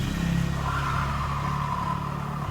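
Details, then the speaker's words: Honda Vario 125 scooter, rear wheel pushed or spun: rough gravelly growl from the rear CVT area, worse in reverse, caused by a worn bearing in the rear pulley. "dia bunyinya amat kasar bisa didengar di sini hadiah bunyinya ngorok"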